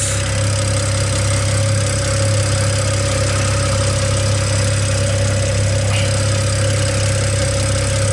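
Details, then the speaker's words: BMW E89 Z4, N54, straight pipes turbo-back, after intake valve cleaning, warming up to operating temperature: steady idle with a light, fast ticking on top. This is the normal N54 high-pressure fuel pump tick, no leaks heard. "nothing but the regular n54 chicken that's the fat ticking is actually a high pressure fuel pump"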